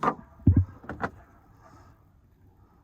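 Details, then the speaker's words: 2005 Chevy 2500HD LLY Duramax, ZF6 six-speed, 77,000 miles, oversized mud tires: front driver's side wheel rocked by hand on a lift gives dull clunks from hub play. Thudding was heard when lifting off throttle; worn original wheel bearing, new bearings and hub assemblies ordered. "All right, let's check this noise out. That's nice and tight, but this way, that's a wheel bearing going out."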